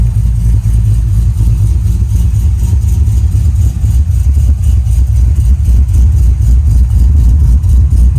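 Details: Wagon LS-swapped with a 6.0 V8, Texas Speed cam and 4L85 transmission: deep, steady burble settling into an even idle, firing smoothly with no knocks or ticks; healthy idle.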